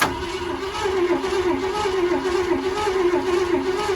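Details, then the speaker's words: 1969 Ford F-100 engine, just freed after seizing from years in the woods, plugs reinstalled: slow cranking with an uneven, lopsided beat, one cylinder dragging; uneven cranking, sticky cylinder suspected. "There's definitely one sticky cylinder, but it still spins over faster than the dent side, so should be good."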